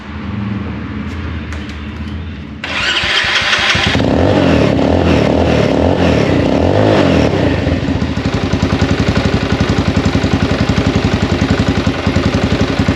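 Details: 2021 XPro X22 125cc motorcycle, first start just after installing a new carburetor. The starter cranks, the engine catches within a second, revs briefly, then settles into an even steady idle; fuel supply good, normal start and idle.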